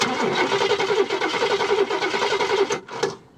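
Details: 1969 Cadillac Eldorado V8 with 21,000 original miles, stored 15–20 years: a longer crank at about three and a half even beats a second with no firing, then it stops; cranks without starting, fuel pump suction suspect, priming with gas planned.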